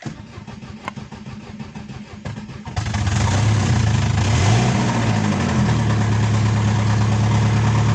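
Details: Chevrolet Aveo engine knocking: cranks, catches and settles to idle with a steady tapping about three times a second riding over it; knock source undetermined.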